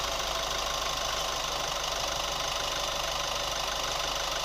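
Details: New Chevy Colorado at steady idle: fast light tick roughly three per second; cause not pinned down yet.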